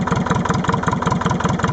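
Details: Leyland 154 tractor diesel engine (15D per title) just started cold, chugging at a few beats a second with an uneven, lumpy pulse. Misfire on one cylinder when cold; cause suspected, not confirmed.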